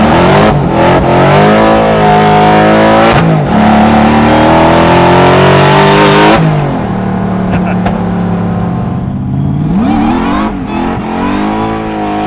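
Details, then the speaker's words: Louder replacement supercharger on a drift truck; engine pulls hard through the revs with a clean rising whine tracking speed, no rattles or knocks; supercharger sounds healthy, though an exhaust leak possibly from the header is suspected. "Supercharger sounds good. Everything seems to be working. Very nice."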